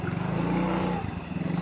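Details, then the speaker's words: Yamaha Mio J scooter restarted after cam chain replacement and road test: even, regular idle pulses with no tapping or rattle; engine runs normally, top timing now good. "sudah normal ya, Guys. Semoga yang punya sudah marem ya bahasa Inggrisnya."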